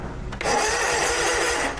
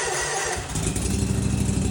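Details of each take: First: Snapper zero-turn mower, basic-wired with 30-amp inline fuses; the starter still lags even with proper wiring. Loud, harsh, raspy whirring while cranking for over a second: a worn starter that needs replacing. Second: Snapper zero-turn mower after bypass rewiring of faulty safety-switch wiring, running without an air filter: engine catches and settles into a steady, even note with no misses or knocks; running smoothly.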